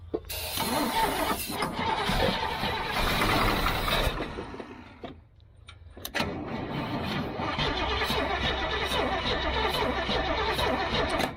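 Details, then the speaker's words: Old gasoline GMC bucket truck, choke pulled out, throttle worked: starter churns about four seconds, pauses, grinds five more without firing; no fuel reaching carburetor, fuel filter suspected clogged. Crank no start. "but a no fuel in it yeah there ain't no fuel in it for sure so no fuel's coming up this huh"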